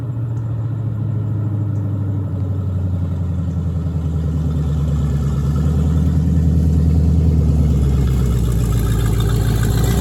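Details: 1973 Plymouth Barracuda, hopped-up 360 V8, after sitting: uneven rumble when blipped, revs pick up lazily; hesitation on acceleration, suspected dead rear accelerator pump, unconfirmed.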